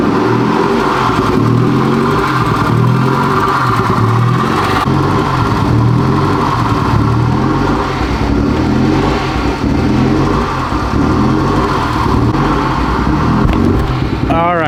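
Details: 2021 Honda Civic Type R, totaled and rebuilt with a rebuilt transmission, first start after the CV axle install: lumpy running that stumbles when revved and never settles, a misfire. The owner suspects mistiming, unconfirmed; the scan shows MAF sensor and PCM codes.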